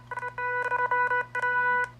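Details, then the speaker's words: HP Pavilion x360 laptop speakers after the laptop was dropped, with the Realtek HD audio driver already reinstalled: a steady organ-like tone keeps cutting out, so playback is choppy. Likely a hardware problem, not confirmed. "it is doing the same exact thing so that tells us that most likely we have a hardware problem"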